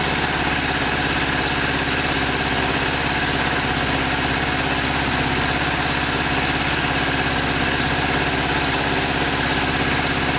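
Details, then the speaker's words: Kawasaki GPZ600R idling on choke just after its first start in over 18 months: an uneven, lumpy idle with a missing beat, running on 3 cylinders while the 4th occasionally tries to catch; misfire. "Sounds like it's running on 3 cylinders, but not bad for 18 months off the road. Definitely running on 3. Let's give it a minute and see if it wants 4. I hear the 4th trying."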